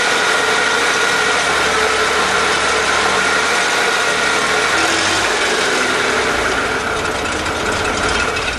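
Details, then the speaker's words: 1998 Mercedes E320 misfiring on all cylinders, won't exceed 15 mph; rough rattling on throttle, about four shakes a second, like marbles in a tin can; owner suspects plugged catalytic converters, source unconfirmed. "if I step on the gas you can hear uh sounds like marbles in a tin can here"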